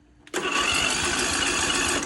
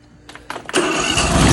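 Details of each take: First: 22HP lawnmower engine revived after brackish-water flooding, on its first start with choke on and fresh fuel while water was still coming from the exhaust: two rough hissing bursts, coughing and spitting as it tries to catch; sputtering on first start. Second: 22 HP lawnmower engine revived after flooding with brackish salt water, freed with oil and WD40, water coming out the exhaust while cranking: a couple of rough sputters, then it catches and settles into a steady, even run. Normal running.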